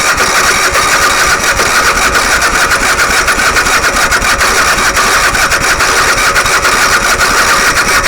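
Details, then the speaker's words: Engine that has not run in over 15 years, starter just reinstalled, fuel filter swapped, choke on: steady starter cranking with a slow, even chug of about two beats a second, but it never fires. Cranks but will not start. "Starter. >> Trying real hard. >> It's almost there."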